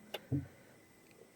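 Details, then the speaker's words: Toyota strong hybrid (Grand Vitara/Hyryder-type), quiet cabin: a few short dry clicks about a second apart from the rear as the car is switched on or off, the high-voltage battery pack contactors and relays engaging; totally normal. "Again, this is totally normal. That's the sound of the contactor and relays in the high voltage battery pack."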